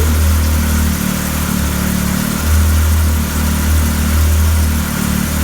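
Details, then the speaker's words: Arctic Cat 7000 with the Yamaha 1049cc triple, about 12,000 miles, after a valve adjustment that cured stalling on cold starts. Steady idle around 1500 rpm with only slight rises and falls, no ticking or stalling; normal idle. "Actually, the motor even has a different sound."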